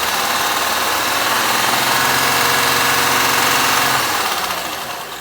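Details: Honda Pilot engine at hot idle (knock reportedly present hot and cold): even ticking knock at roughly 220 per minute, a clear mechanical knock from inside the engine.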